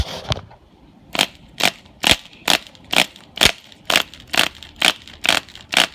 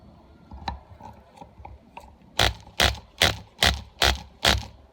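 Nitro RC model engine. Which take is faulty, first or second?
first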